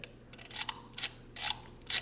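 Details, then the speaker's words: Minolta MC W.Rokkor-X 28mm f2.8 lens after readjusting the diaphragm, blades hidden when fully open and moving at every stop: crisp light clicks about every half second, one per stop, clean and even; normal aperture detents. "now it looks a lot better cut when it's fully opened can't see the blades at all and there's movement at every stop along the way"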